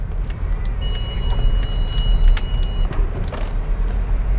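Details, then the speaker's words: Mercedes R300 driven over a speed bump: dull knocks under road rumble, suspected from broken steering rack bushings letting the rack move up and down, or else worn rack gear; to be confirmed on teardown. "Kalau dia udah kalau dia udah pecah busingnya, itu naik turun. Nah bisa bikin bunyi begini juragan."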